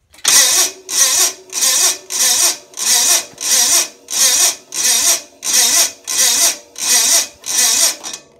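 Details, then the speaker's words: Gravely 450 Onan CCKA engine, roughly 45-year-old original starter with lubed Bendix, jumper box: slow labouring cranking about ninety surges a minute, each dragging against compression; starter too weak to turn it over, later replaced with a new starter. "well the starter is working right but it's just got no power is that got a lot of compression out of this motor here real"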